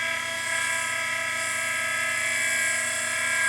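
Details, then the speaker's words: Henderson Precision Gen 3 case trimmer, first start after assembly, guard on: steady high-pitched motor whine with a slight buzz, speed even; cutter head spinning nicely, normal running. "A little bit of a buzz with the motor, but that's not too bad. You can hear that, guys, and also you can see the collet is spinning nice."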